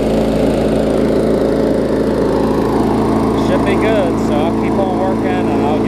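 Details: 22-inch push mower, a few years old and a little worn, spring bent slightly to run a touch faster: steady, even single-cylinder drone, no misses or knocks, birdsong behind; normal running.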